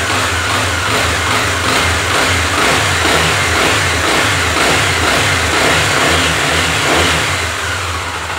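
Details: Honda XRE 300, 2018, 7,229 km: engine revved up and down with rhythmic metallic tapping over exhaust note; internal engine knocking noise of unknown cause.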